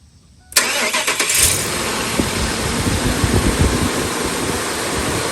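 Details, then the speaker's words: 2003 Ford F-350 Super Duty 5.4 L after passenger exhaust manifold replacement: starts at once and holds a smooth, steady idle with no ticking or puffing from the exhaust side. "That's how it's supposed to sound. Look at it. You gotta fix that. You don't hear anything, guys. Look at that. It's a smooth running engine."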